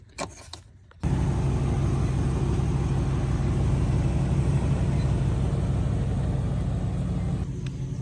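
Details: 2012 Ford F-250 diesel after burst power steering high-pressure line replaced and system being filled and bled. Starts and settles into steady, even diesel clatter with a low drone, no knocks or squeals; normal idle.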